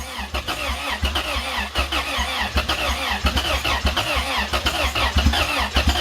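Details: Turbo B18-swapped Honda on first startup, with fuel poured in and the distributor moving a lot (timing possibly 180° out, suspected): uneven, lumpy running with surging bursts that won't settle into a steady idle.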